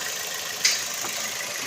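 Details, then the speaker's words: Toyota NZE engine after replacing faulty ignition coil found by swapping coils (P0300 misfire): steady even idle with no stumble or shake; normal idle. "See, the engine is smooth. See, it's okay."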